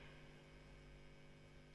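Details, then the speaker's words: Fender Super 60 guitar combo amp with nothing playing: quiet, constant low hum with a buzzy edge that disappears on the overdrive channel. Owner suspects a possible dry joint; cause not confirmed. "there's also quite a hum on this amp"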